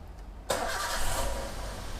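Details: Toyota Avanza after replacing coolant, valve cover gasket and clutch: quick crank catches at once and settles into a steady, even idle with no knocks or misses; normal start and idle.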